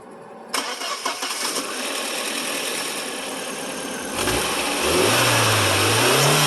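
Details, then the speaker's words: 1998 VW Passat 1.8T just after fitting cheap Amazon aftermarket ignition coils: the starter whirs a few seconds, the engine fires, revs briefly and settles to an even idle with no stumbling; normal start and idle, the coils work. "so the good news is is that they work"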